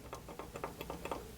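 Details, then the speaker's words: Mitsubishi Galant with eBay GT35 turbo fitted only weeks before, engine off and still hot, shaft rocked by hand with pliers; light uneven clicks about five a second, up-down, in-out and side-to-side play; turbo shaft play, turbo blown. "that's up and down and it's got a decent amount i'm not sure if that's going to show up on it but it's got some in and out and some side-to-side shaft play needs to say uh that turbo is done"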